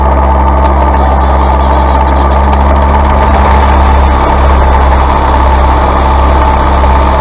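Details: Massey Ferguson 135 diesel tractor after fitting a new Lucas starter (old one failed despite repair): steady diesel clatter at even idle, no misses or knocks, speed holding constant; running normally.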